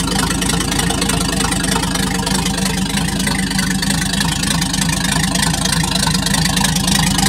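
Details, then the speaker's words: Packard 356 nine-main-bearing marine engine, first run after rebuild, once oil on the cylinders cleared: a steady idle with a quick even firing patter and no knocks or misses, settling in nicely. "i had to clear it out a little bit there but it cleared out just fine [Music] so first run after rebuild"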